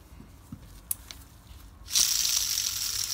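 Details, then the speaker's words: BMW R 1100 GS final drive, removed and disassembled: failed rear wheel bearing on the crown wheel spun by hand, giving a few light clicks then a loud gritty hiss; a new bearing is silent. "When you spin this, it's making all that noise."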